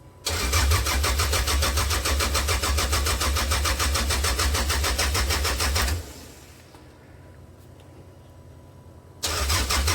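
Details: 1998 Toyota Camry with a new fuel tank and fresh gas: the starter spins steadily for six seconds, twice, but it never fires. Owner suspected the fuel pump, but then doubted that was the problem. Crank no start, cause unknown.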